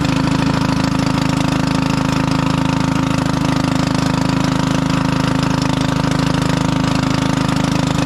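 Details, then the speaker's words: 1996 Craftsman LT1000 Turbo Cool lawn tractor idling after a fouled, fuel-flooded spark plug was cleared, coil wire chewed: steady, fast, harsh, unmuffled chuffing; the muffler is split in two. "H so hard for you to tell but this thing is so loud it sounds like it doesn't have a muffler but it does"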